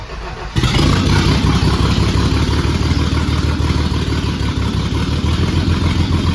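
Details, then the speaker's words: Turbo-swapped 1989 Thunderbird Super Coupe on a Holley Terminator X base calibration, F-150 crank/cam sensors, LS coils/injectors, coolant 95°, 12.2 V with alternator unhooked, IAC 83%: brief crank catches, settles into a steady rumbling idle, no misses or knocks. "I mean, the fact that this thing will run that easy, first try cranked up once we loaded the base calibration, that's"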